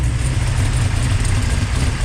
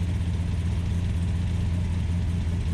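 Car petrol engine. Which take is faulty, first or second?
second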